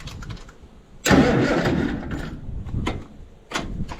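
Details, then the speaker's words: Allis-Chalmers D17 diesel tractor, cold chilly start on starter fluid after new oil pressure gauge fitted: cranking catches with loud harsh burst, then uneven firing with sharp bangs as it fires on ether; no leaks afterwards. "But first we gotta get it some starter fluid, because it's kind of chilly, and I know she ain't gonna like it."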